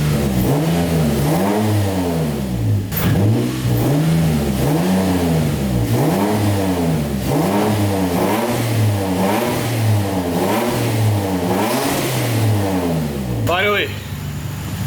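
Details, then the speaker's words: Turbo Nissan 350Z with newly finished custom exhaust, wastegate just refitted: crisp even free revs sweep up and fall back smoothly, turbo flutter audible, no rattle or hiss; sounds healthy. "I thought the exhaust was just cooked, but that sounds a lot better. And I could finally hear some turbo flutter from just free revs."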